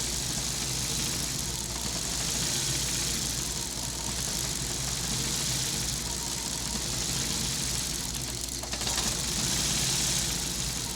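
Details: 2002 Ford Focus petrol engine idling unevenly with a lumpy, irregular beat and a bright hiss over the top: rough idle.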